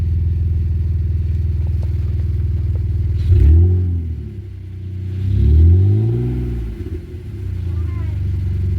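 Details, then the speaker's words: BMW E46 325xi that was knocking: steady low idle with a quick, fairly even knock about four per second that swells with each rev blip, not the engine or power steering; sounds like the alternator. "it's not coming from the motor it seems to be coming from this al man I checked the power steering fluid it's not the power steering so definitely got to be the M well no not the M the alterator sounds like the a"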